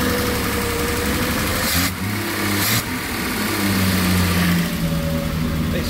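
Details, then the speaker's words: Barn-find 6-cylinder Triumph Spitfire, with fresh oil and filter and running on fresh petrol from a can: revs rise and fall unevenly, racing then stalling. Owner suspects a fuelling problem. "it would race for a while and then it would conk out just as it did then just stop and I thought well it sounds like to me it felt like a fueling problem"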